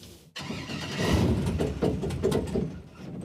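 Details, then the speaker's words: Project boat V8 with carburetors and electric fuel pump, fuel confirmed: starter churns it over unevenly with a few weak catches but it never runs, because the throttle linkage from the gas pedal to the carburetors was disconnected. "Oh, is the throttle linkage hooked up? No. That could be a thing. The gas pedal is not hooked up to the carburetors."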